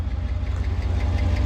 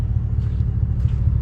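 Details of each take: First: 2018 Cadillac Escalade V8 before the DOD delete: sharp light ticking at about five per second over a deep idle; owner suspects a pushrod or lifter, possibly a manifold gasket. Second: 2018 Cadillac Escalade V8 after DOD delete with BTR cam, LS7 lifters, shorty headers, Magnaflow muffler and flapper valve removed, fixing a lifter/pushrod tick: deep, even idle rumble slightly louder than stock, no ticking; normal idle.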